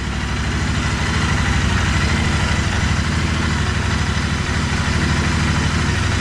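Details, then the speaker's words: 2020 Royal Enfield Continental GT 650 parallel twin warming up after two weeks unused, at its 300-mile first service: even, steady idle pulse, even exhaust back pressure, no tapping or rattles, no oil leaks; running well. "gotta warm up a little bit yeah i haven't rode in like two weeks because i was waiting to do the 300 mile service running well"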